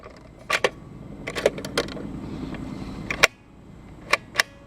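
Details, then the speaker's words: Crosley Stack-O-Matic record changer after cleaning the rubbing post and plastic part with rubbing alcohol: crisp clicks and clunks as it cycles with no scrape between them; scraping fixed, mechanism runs clean. "I think we got a weight got a got rid of the scraping sound yep no more scrape"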